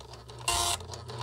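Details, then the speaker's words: 1976 SWTPC PR-40 printer driven by SWTPC 6800 computer via parallel card, plastic ribbon fitted: quick buzzy printhead bursts alternate with short gaps and low carriage hum; printing normally, though ribbon spools need finger help to advance. "here we go yes yes that's what i was looking for look at that"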